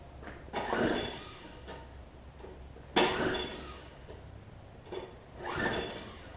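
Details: Troy-Bilt Tuff Cut 200 6.5 hp 21-inch self-propelled mower from a free lot, rough, no gas tank fitted; three recoil pulls, each a brief rough whirr with faint attempts to fire, never catching.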